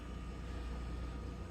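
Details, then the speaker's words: Noisy refrigerator condenser fan motor after a cheap fix, running again under the fridge: a smooth, steady low hum with no rattle, wobble or ticking. It is super quiet and blowing air across the condenser. "super quiet and it can feel air coming off of it oh it's blowing good there"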